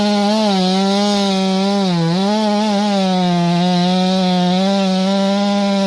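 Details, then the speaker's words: Ported Stihl MS461, built torquey for wildfire crews, in the cut: high, steady scream with slight wavering light four-stroking, as tuned; running normally. "so yeah that's mike's 461 and again i leave the the stock coil in them they're for the wildfire guys the torquey saws"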